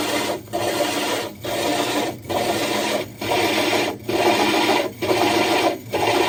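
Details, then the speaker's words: Diamond hole saw drilling the glass of a 60 breeder aquarium: steady wet rasping cut broken about once a second as pressure is lifted and reapplied and drill power varied; normal smooth, controlled drilling. "You notice how he wasn't just putting brute pressure on it. He kept lifting it up and then reapplying pressure. And if you could hear the drill, he was actually fluctuating the power of the drill."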